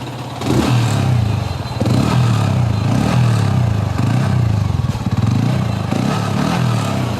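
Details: 2021-model Yamaha R15 V3 motorcycle engine blipped by hand on the throttle several times. It revs up and settles back cleanly, with no noise from the engine bearings or internals, in showroom condition.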